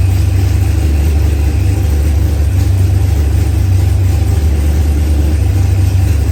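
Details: Procharged LS V8 with a 12-1 crank trigger wheel, a new engine first started after crank-trigger trouble: a deep, steady low rumble with an even beat and no misses or knocks; it idles smoothly and sounds good.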